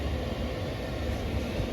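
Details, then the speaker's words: Chinese diesel heater newly installed in a camper van, running without exhaust fitted, fuel pump speeding up during its roughly 3.5–4 minute warm-up: steady low burner and fan roar without surging or popping; normal running. "the little diesel pumps come on now speeding up a bit I'm trying to do what it does best heat up hopefully we're gonna get some hot air out of it in a minute"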